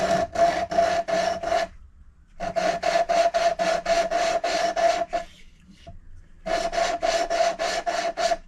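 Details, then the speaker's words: Hand lapping a worn valve into its seat with coarse paste and light downward pressure; rhythmic rasping strokes in bursts; the seat is not yet fully mated, and the grinding grows quieter toward silence when done. "Now what you do is you listen really carefully, and you'll hear the grinding noise, and it will go quieter and quieter to almost silent. Once it gets to almost silent, you know that you're done."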